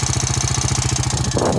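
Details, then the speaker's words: Rancher ATV started in 36-degree weather for the first time since November: quick, even thumping idle with a crisp, regular beat and no knock or stumble; the engine runs phenomenally. "the performance at all this thing runs phenomenal"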